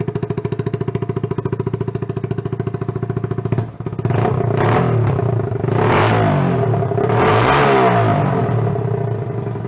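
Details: 1977 Honda Trail 90, sat 37 years, first start during exhaust repair after fuel poured in plug hole: even ticking idle at about three pops a second, then clean revs rising and falling smoothly; runs normally.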